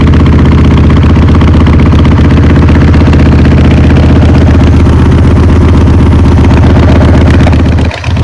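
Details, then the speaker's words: Motorcycle that had not run for a few years, just started cold on choke with the accelerator pump working: steady, slightly rough V-twin idle with no knocks or misses. Normal running; the roughness should clear with fresh fuel. "Perfect, you can tell it's running a little bit rough, but I'm sure it'll clear out with some more fresh fuel, a couple of rides. It should be good. I mean, for not running for a few years, guys, sounds good."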